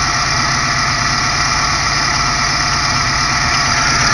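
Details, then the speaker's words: Rough idle: loud steady idle with coarse uneven low rumble, whole car and engine wobbling too much; owner suspects a cylinder misfiring from a bad spark plug, with popping on rev-down. "the whole whole car is kind of wobbling right now does not feel right you can see the whole engine moving way too much"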